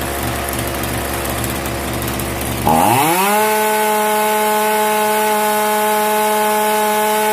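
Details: Zenoah 3800 chainsaw after tightening the T screw and resetting the mixture screws: picks up quickly, holds a clean, steady high-pitched buzz, no bogging or surging; mixture about right.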